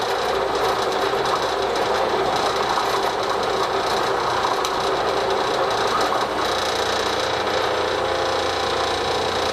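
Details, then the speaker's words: Three-phase AC induction motor on all three phases at full load, 3.7 A, about 1697–1700 rpm; steady even hum with fine mechanical clatter, no whine or rubbing; normal running under load. "polo current is 3.7 M okay now that's at oh it's all three phases how RPM is about 1697 1700 rpm"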